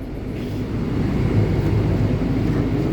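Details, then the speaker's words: Repaired generator just reinstalled in a 2019 Allegro Red motorhome, heard outside right after it started: steady even low drone settling in, no knocks or misses; normal generator idle. "all right so we come to the outside generator oh it's flashing oh it started all right"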